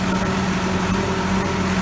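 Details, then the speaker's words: Allis-Chalmers 180 tractor, 301 diesel, about 4,100 hours, after valve adjustment: even, steady idle with a smooth low thrum, no knocks or misses, little smoke; runs healthy. "Sounds real good. Sounds like these 301 Allis always have. Real quick, real smooth. Doesn't smoke a whole lot."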